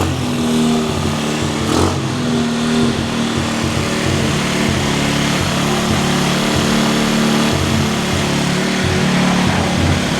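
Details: Cheap quad bike ATV revived with new wiring loom, cleaned carburettor, new spark plug, CDI, regulator, battery and clutch, jump-started and warming up: small single runs steady and even with slight throttle swells, no knocking or misfire. Normal running.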